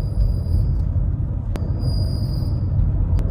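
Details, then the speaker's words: Nissan Teana driving: thin steady high-pitched whine over heavy road rumble, brake dust shield rubbing the disc; fixed by straightening the shield. "Katanya sih gara-gara kupingan yang di belakang dis brake itu bergesek ya."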